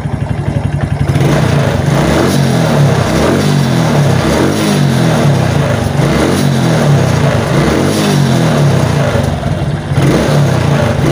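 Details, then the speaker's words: Suzuki Titan/Smash motorcycle fitted with a new battery revs smoothly and holds high rpm with no stutter or misfire; the original complaint was dying under throttle when the battery dropped, suspected regulator/rectifier. "Tes gas berhati teman teman-teman ya bertin tangan saya saat ngegas ya jadi enggak ada suara deg deg deg deg deg jadi kayak telah minyak ya kayak motor itu enggak mau jalan sama sekali ya enak ya"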